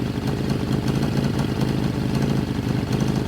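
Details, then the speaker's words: 1981 Suzuki GS650GL inline-four, sat for years, carburetors just refitted, running on all four cylinders; choppy, wavering idle that never settles because initial settings are off. Unsynchronized carburetors. "my initial settings are off the carbs need to be synced which we'll do that later but not"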